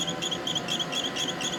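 Steady run of high, chirpy squeaks repeating several times a second over a soft motor hum; a squeak from the drive, cause unclear.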